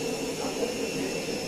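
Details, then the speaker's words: Siemens washing machine with worn drum bearings: steady, rough, jet-like roar with a thin whine as the drum spins; bearings and the leaking door boot were later replaced. "Bu ses rulmanlardan geliyor. Yani bu sesi iyi dinleyin. Bunun daha böyle aykırısı, çok olanı jet motoru gibi"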